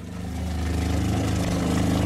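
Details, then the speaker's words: RV water pump, replaced the previous summer, running with the fresh water tank on empty for a couple of days: uneven buzzing drone that gurgles and labours as it draws air instead of water. "gurgling it means a lot of water and it's on empty it's been on empty a couple of days"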